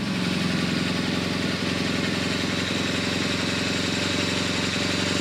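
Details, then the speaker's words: BMW R1200GS Hexhead boxer twin at about 100,030 km, cold after 100,000 km service work (rocker arm end play, plugs, engine guard): steady even pulse about three to four beats a second, no ticks or knocks; normal idle. "sounds good okay i'm gonna let your warm up a little bit"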